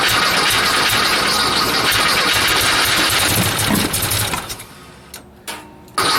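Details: Rotten 1956 VW Beetle (hurricane car, left outside 10 years), first start after carb cleaning; carbs juiced with carb cleaner on a chilly day. It cranks, catches a few seconds with ragged firing, then dies: fuel starvation. Needs fuel line and a tee.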